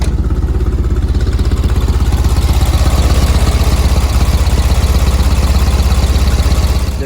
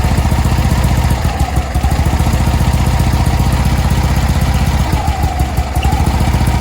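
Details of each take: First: 1965 VW air-cooled flat-four, warm after a six-mile drive: steady, even putter settling into a good idle. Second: 1965 VW Beetle with Pertronix electronic ignition: low idle stumbles with uneven, lumpy firing that misses and hiccups; Pertronix failing again despite an earlier clamp fix, owner swapping back to the old ignition. Stumbling idle, cause suspected.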